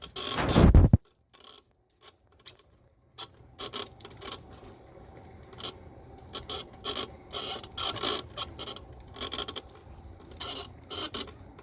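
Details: Golden Technologies Buzzabout power wheelchair, 2 months old, after 5 rides on flat pavement: short irregular creaks and ticks over a low motor hum while rolling; the cause was the seat post squeaking, fixed by greasing it with WD40.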